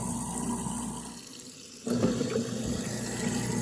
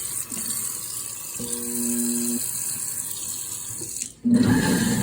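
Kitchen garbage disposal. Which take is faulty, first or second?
second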